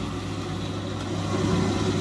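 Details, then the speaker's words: Indesit 9 kg, 1400-spin washing machine running a real wash with top and back covers off, on its first drain: the drain pump is energised and emptying. A steady low hum and mid-pitched drone with rushing water, no knocks or rattles, is the drain pump running normally. "Right, so it's on its first drain, it's emptying. It's emptying the water out, as you can hear. So now the pump's energised."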